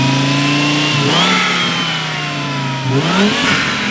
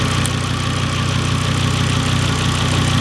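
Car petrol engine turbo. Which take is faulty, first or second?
second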